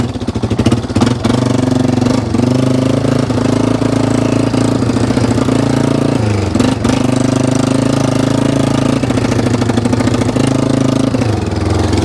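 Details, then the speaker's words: 1995 Yamaha Wolverine 350 ATV, brought in cranking with no start, exhaust head pipe leaking: steady single-cylinder idle with occasional stumbles and spits; sputtering idle, seems to be getting too much fuel. "just seems like it's getting a little bit too much fuel spitting and sputtering a little bit might just need to be"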